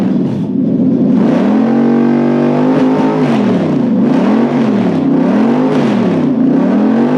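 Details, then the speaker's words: Toyota 3UZ V8 on stock ECU with plug-and-play adaptor, relay and fusebox setup: smooth blips climbing and falling evenly through several rev cycles, clean pickup and return, no misfire or knock; normal revving. "oh that'll do it sounds good though hey it does it sounds like a b you can you can hear how much more horsepower a threes it makes"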